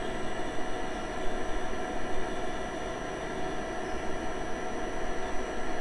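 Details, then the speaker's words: Webasto Thermo Top C fuel-burning heater on a 2004 Land Rover Freelander 1 TD4 diesel. After the carbon gunk was cleared from the combustion chamber, the fan gives an even, steady roar with a faint whine and no stutter. The heater now runs on longer after ignition, which is normal. "this time he's running on for longer so obviously clearing out all that gunk out of the combustion chamber has had the desired effect to get the unit working"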